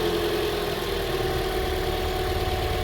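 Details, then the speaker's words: 2010 Toyota Corolla S, just after replacing burnt, corroded old spark plugs: starts right up into a steady even idle, smooth low hum, no stumble or miss; normal idle. "Awesome, he's going to fire it up for us. Starts right up."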